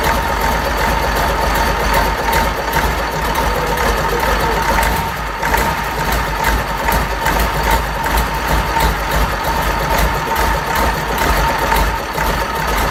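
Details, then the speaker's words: Fordson Major Perkins V8 diesel, first start after a long lay-up, no coolant in it: steady low diesel chatter at even idle, no misfires or knocks; normal diesel idle. "And that, my friends, is a runner."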